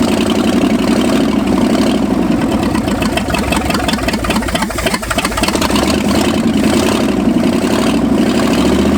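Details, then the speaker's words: 1965 Ford F250 V8 first start after 26 years parked, carb fuelled, throttle worked by hand: uneven loping idle with slight stumble; believed running lean because cold. "I want to work the throttle do this for now yeah no it's just lean it's cold"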